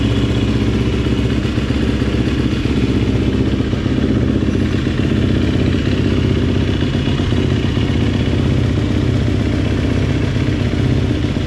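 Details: GasGas two-stroke dirt bike, first start after top-end rebuild: crisp, even two-stroke buzz holding steady, no knocking or rattle; normal running.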